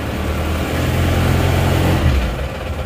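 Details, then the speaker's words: Isuzu Panther 2.5 diesel just restarted after overhaul (cylinder head gasket, oil filter, Vitalube oil; liners not replaced, likely previously replaced, sleeves non-original): deep, loud chug at fairly even idle, three to four beats a second, no heavy knock; acceptably smooth, normal diesel idle. "mesin juga tidak sebegitu kasar walaupun kondisi mesinnya menurut saya linernya sudah gantian seker juga sudah bukan orinya"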